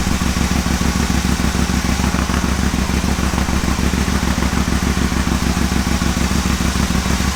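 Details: Aprilia Caponord V-twin at cold start idle, TuneECU connected, after charging fix (idle fault still being chased): steady, even low thumping at about two hundred pulses a minute, no knocks or misses; healthy cold idle.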